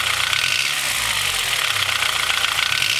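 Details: Honda H22 engine with Mahle Gold Series pistons at cold idle: hard, rapid knock under a bright hissy engine note. Piston slap from slightly too loose piston-to-wall clearances; engine later rebored with oversized pistons after about 5k miles, no damage found.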